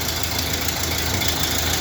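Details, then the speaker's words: 1931 Ford Model A, stored 45 years and not started in several years, after cleaning points, freeing stuck carburetor float and resetting timing: steady even idle with bright valvetrain chatter, running fine. "Just barely got it started now. I don't know if they have everything adjusted right on it, but it is running."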